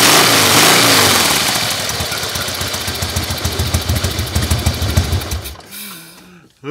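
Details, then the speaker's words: 2001 Harley-Davidson Fatboy Softail, carbureted air-cooled 88-inch V-twin, after fuel system and carburetor rebuild, sat 5 years: catches after a brief crank and settles into a steady loping beat, no knocking; normal start and idle. "Let's see if she starts. Oh boy, that sounds good. Nothing like it."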